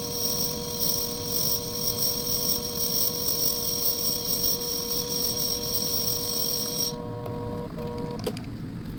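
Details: Lathe finishing pass facing a homemade bench block: steady motor hum with a thin, even cutting hiss that stops as the tool clears, no chatter, leaving a near-mirror finish.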